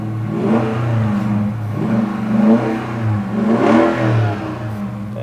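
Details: 5.7-liter rear-wheel-drive car at an auction yard: several clean throttle blips, each note rising and falling smoothly with no miss or rattle; normal revving of a healthy engine and exhaust.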